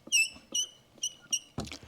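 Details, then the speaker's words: W126 Mercedes heater/AC blower motor removed from under the passenger-side dash and turned slowly by hand: sharp high chirps about every half second with dry rubbing; squeak source unclear, dry shaft bushing suspected; transmission-fluid lubrication being tried. "I don't know where the squeak is is it inside the motor it seems to work fine"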